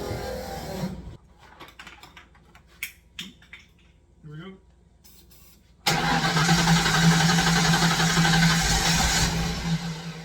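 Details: Long-sitting Fox Body Mustang cranking on an uncharged battery with charger on, fresh gallon of fuel and starting spray: clicks, then steady whirring crank that never fires; crank, no start, injector signal next to check.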